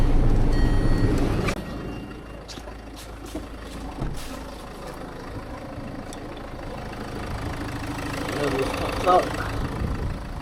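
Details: Car after a radiator replacement, running while the cooling system is bled, blowers on max with no AC: a steady, low, even idle under the blower roar. No misses or knocks; normal idle.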